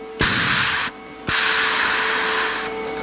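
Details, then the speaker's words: Lincoln Power MIG 210 MP welder after a drive motor replacement, testing gas only, with a leak detector earlier showing a crack: two bursts of steady hissing follow clicks over a faint hum, and shielding gas flows normally from the gun. "but there is gas coming out of the big gun now so that is a positive"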